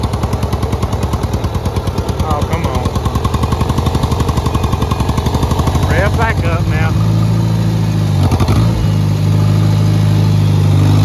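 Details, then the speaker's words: Farmall Cub 140 four-cylinder tractor, run after sitting five years, in second gear under load: steady low thumping sags and stumbles, then picks up as fuel catches up; bogging getting worse, owner suspects air being sucked into the fuel. "put it in second gear see what I mean how it really looks down until the fuel catches up yeah it's just getting worse"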